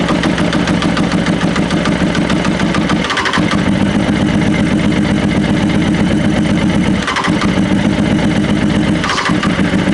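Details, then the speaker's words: Honda CB600F, suspected rich carb: rough, uneven four-cylinder run held up only with throttle nearly open and choke on, periodic sags, won't idle on its own. "So, the only way I'm getting it to start and run here is with the throttle pretty much open, choke on,"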